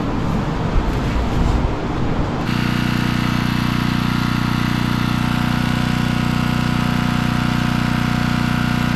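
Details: Generator, previously non-running after sitting in snow, started up while an outlet is checked with a multimeter; it catches and settles into a steady, even drone with no misses or hunting, running normally, with the outlet fault being a bad receptacle.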